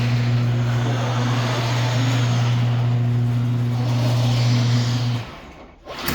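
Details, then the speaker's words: Craftsman snowblower that squeaked after a new belt, now with gear lube added at about 10°: steady, even low engine drone with no squeak or squeal, then shut off and winding down; running clean after the fix. "All right, no more squeaky. All right, fantastic."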